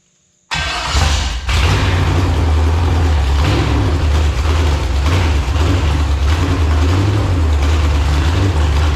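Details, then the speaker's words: Marketplace LQ4 6.0 V8 (99-2000, iron heads, bullet damage) test-fired with fuel bowls barely filled: catches and idles unevenly, swelling and sagging each second or so, hunting rich-lean from fuel starvation. "it runs I actually sounded pretty good to be Rich lean Rich lean Rich lean so if I can get some actual fuel in the thing"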